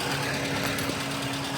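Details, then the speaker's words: Nissan Be-1 Pike car with MA10ET 1.0L four-cylinder petrol engine, warm after driving, test-run just after new spark plugs, plug wires and coil wire (cap and rotor not yet done); starts much better, smooth even idle, no misfire, seems okay. "Seems okay. I'm not doing a Rodrigo cold rev. It is warm or it was warm. I drove here like this. but it's not horrible."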